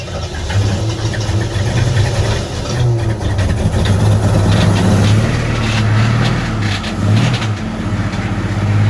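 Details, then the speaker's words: AMC Concord six-cylinder parked 26 years since 1997, after rewiring plugs: uneven, lumpy running with a shaky low rumble stumbling as it revs; two spark plugs not sparking, running on four of six, likely also bad fuel mixture; plugs replaced. "So we were missing on at least 2 cylinders. That's probably what our knocking noise was."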